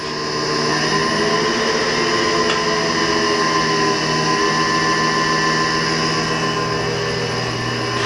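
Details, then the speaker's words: 2013 Shigiya GU30B 100A grinder: variable-speed grinding wheel starting up slowly. Steady, even mechanical whir with clean tones and no grinding or knocking as the wheel comes up to speed. Normal spin-up. "So let's go ahead and start it up. Grinding wheel is going to start up slowly because it's a variable speed."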